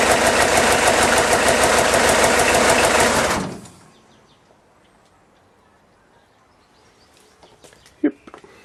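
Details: Diesel kit car, first start after months out of action, battery charged overnight, supercharger bolted back on: fast regular diesel clatter about three beats a second, then cuts out to near silence; diesel engine running.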